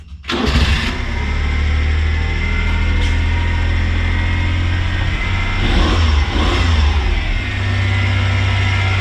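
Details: Kei car after its muffler was welded: the engine catches quickly and settles into an even, steady idle with no puffing, blowing or rattling from the exhaust. It sounds healthy.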